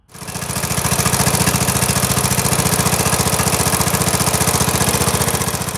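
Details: Briggs & Stratton OHV Intek mower engine, after replacing bad cam with compression release, crank seal and sump gasket (was hard to start and crank): fires right up, quick even single-cylinder beat, no misses; normal running.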